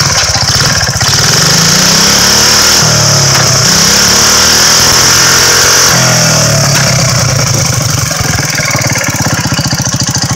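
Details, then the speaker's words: Homemade low chopper with a 5 hp Tecumseh engine, an old Clinton starter carburetor and a Hegar kick starter, started on the first kick after its tank, carb and petcock were cleaned of stale gas: quick, even single-cylinder putter with no misses. It is a normal idle. "But it's a fun toy. Glad to hear it run again. It's been a while."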